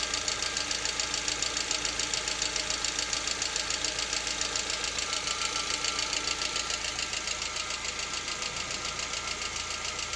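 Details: Lada Vesta, 64,000 km, still warming around 50 °C: sharp, even ticking knock about twice a second over steady idle; absent cold and at operating temperature, cause not determined.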